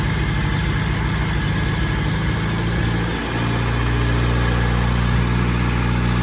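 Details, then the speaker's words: 1992 Toyota pickup after the charcoal canister and emissions vacuum delete: the idle sits fast and busy from an open vacuum line, then the pitch drops and settles once the line is reconnected to the vacuum manifold. "One more vacuum line I need to hook up somewhere. You hear it running line high."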